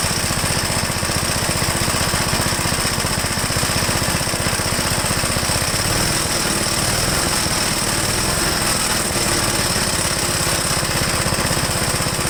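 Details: 1969 Gravely Model L walk-behind tractor, owner says it acts more like an LI intermediate-speed model, newer engine with 7.6 hp head, already warmed up: loud, rapid single-cylinder chugging with a steady beat and clattery mechanical background, holding speed evenly; healthy running.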